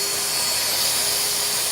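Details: Kaivac No Touch Cleaning System internal pump being primed with the vacuum pulling air through the quick connect: steady airy hiss with a thin high whine before the pitch changes; pump running unprimed and air-locked.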